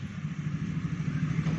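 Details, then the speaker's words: Carbureted Honda Beat (old model) scooter with a cracked, hardened intake rubber letting in air: steady low buzz held at a raised idle with a slight waver; idle won't settle or come down and the bike lacks power. Vacuum leak. "BOC W bocor ini ini ada suaranya Suara begitu kalau mau diurut langsung enggak mau stabil masam langsamnya putaran mesinnya kepingin tinggi terus"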